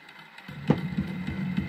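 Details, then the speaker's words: National Panasonic SG1060 music centre record deck playing; low droning rumble with a soft pulsing throb about three a second; turntable motor bearings suspected worn. "You can hear it on that, can't you? The bearings are shot. I'll have to look at that."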